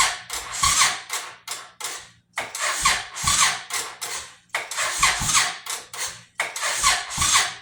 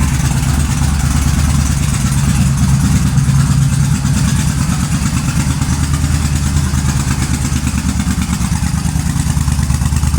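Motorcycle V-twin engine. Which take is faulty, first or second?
first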